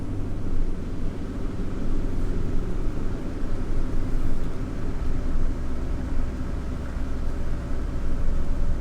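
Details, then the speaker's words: Yage, road test at cruising speed after the wheel bearing was replaced: steady low road rumble, no growl rising with speed, the noise clearly gone; quiet wheel bearing. "声音很明显的不见了。"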